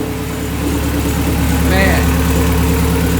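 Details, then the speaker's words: Honda Civic with H22 engine, running after a bad ground connection was fixed and new shifter cables fitted: even, steady low idle with no misses, knocks or hunting; normal idle. "there it is guys finally another little battery charger here so finally got her going and take her off the charger"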